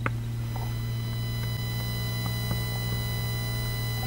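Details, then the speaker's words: Home recording setup with a USB sound card: a steady low 60 Hz ground loop hum with a thin, constant high-pitched whine on top. The noise comes from the computer via the USB cables, fixed with a USB isolator. "Yep, that nasty high-pitched whine. If you listen close, you can hear that there's actually a ground loop noise there. There's a low-pitched 60 hertz hum, but there's also that high pitch noise on top of it,"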